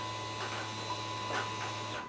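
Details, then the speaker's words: 2006 Dodge Ram 5.7 with very high mileage and an intermittent start-then-stall complaint: a steady electric hum for about two seconds at key-on that then cuts off cleanly, the normal fuel pump prime. "for the fuel pump primed right exactly what he said it was doing so alright verified the complaint now we'll start digging into it"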